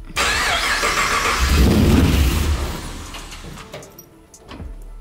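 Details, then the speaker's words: 1959 Chevy Apache pickup with LS3 after custom rewiring: starter churns steadily for a couple of seconds and winds down without catching; crank-no-start caused by the starter enable wire at pin 52 being incorrectly hooked up. "Done something wrong. It's not working. This is that crank issue. Yep."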